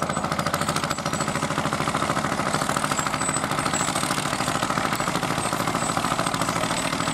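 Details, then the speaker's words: Vintage Fiat hot-bulb (testa calda) tractor, exact model unknown, among tractors around 60 years old, ploughing at a festival: slow, regular thumping at roughly two to three beats a second, steady under load. A normal hot-bulb engine beat. "Sì è un'altra Fiat Ma che Fiat è quella lì è un testa calda sentite come batte"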